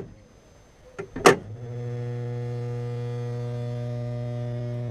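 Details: Vauxhall Insignia 2.0 diesel (A20DTH): after a couple of clicks, steady low buzzing, moaning drone at constant pitch with vibration, a common fault; fix shown is fitting a vacuum reservoir inline with the wastegate actuator solenoid valve hose.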